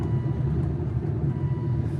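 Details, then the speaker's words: Aston Martin DB9 after V12 engine swap, first road drive after manual shifts through fourth gear: smooth, even deep V12 drone at light cruise with no knocks or ticks; sounds healthy. "so we're good all the way through fourth gear shifting through all the gears no problem and uh yeah yeah it's sounding good sounding real"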